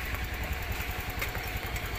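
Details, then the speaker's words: Honda Beat FI scooter after a no-start, no-display fault, fixed by bypass-wiring the missing ground to the relay's blue negative wire. The single cylinder now idles with a smooth, regular, low thump; normal idle after repair. "at wala ng problema ang kanyang ah makina umaandar na."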